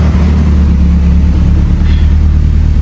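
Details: Evo 8 turbo engine after a fueling fix for power loss, full-load run: deep, steady roar with no misfire, stumble or knock, smooth even pull; knock clean across the board, AFR on target, smooth power band; normal.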